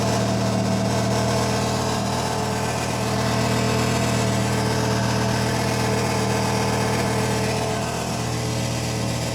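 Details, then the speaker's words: 2020 Audi R8 V10 with revs held: steady engine note with a loose, buzzy rattle from something loose inside the exhaust silencer, later fixed with a new exhaust. "Sounds like it's in silence. So put your head so you can just hear it rattling around inside it."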